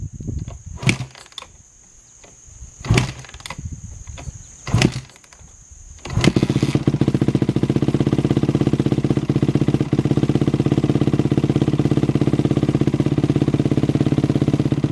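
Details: Honda CRF250R with FMF Powercore exhaust, temp gauge 80 degrees after sitting two hours, beside a barn: a few kicks, then it catches into a fast, steady, crisp idle with even beat, no knocks or misfires; slight echo off the barn.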